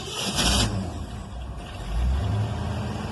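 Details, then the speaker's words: Car revived after a year, just started cold after dwell set from 40 to 30 and carb work: uneven running with surging bursts and irregular exhaust beat; choke suspected. "Oh, that's the choke. I gotta look at the choke."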